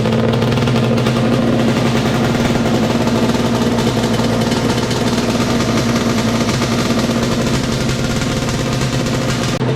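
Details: 421cc Yamaha Banshee two-stroke twin with 39 PWK carbs, first run after engine install, on choke; fast, busy crackle holding steady ten seconds, no misses or knocks; running cleanly.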